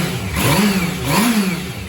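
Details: Restored low-mileage Yamaha Fazer motorcycle running after a 15-year slumber, warmed up with temperatures still low: crisp throttle blips, revs climbing and falling cleanly with a steady, even exhaust beat. Sounds strong and energetic; normal revving.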